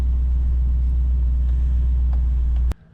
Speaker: nothing sounds good i don't know this one's going on the watch list for